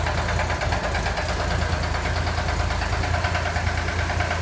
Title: Corvair engine knocking